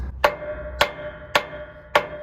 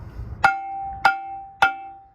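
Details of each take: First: Semi-truck trailer brake drum with the brakes set, tapped with a hammer. Four short dead thuds with no ringing, unlike the ping of a released drum, because the shoes are pressed against it. Indicates locked or applied brakes. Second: Semi truck/trailer drum brake tapped with a 3-pound mini sledge: three even taps about half a second apart each leave a clear, sustained bell-like ring, showing the brake is released, unlike the dull thud of a set or locked brake.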